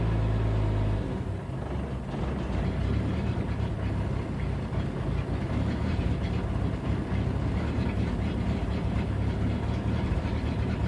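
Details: 1992 Jeep 4.0L six at idle: rumble wavers and stumbles unevenly after the first second, an intermittent rough idle of unknown cause. Fuel pump recently replaced, fuel pressure a constant 10 psi if the gauge is correct, ballast 10.5 V; bypassing it and swapping MAP and AIT sensors changed nothing.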